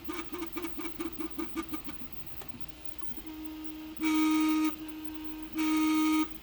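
Quick buzzing pulses give way to loud sustained tonal hums in two-second bursts; the printer is noisier than it should be.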